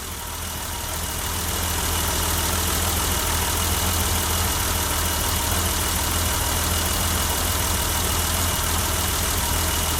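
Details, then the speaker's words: 1988 BMW 325i running on its own for the first time after 6 years of sitting, right after a locked-up fuel pump was replaced; steady, even idle with a smooth low hum and no misses, knocks or ticks, so it idles cleanly and healthy. "Wow, that's the first time this has ran by itself. You know, other than me pouring some gas into the intake just to see if it worked."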